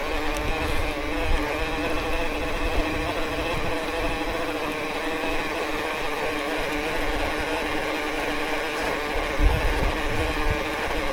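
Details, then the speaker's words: E-MTB belt-drive system while riding: steady whirring drone with a gritty hum under load; the drive system runs loud overall, cause not pinned down. "Very noisy as a system, though."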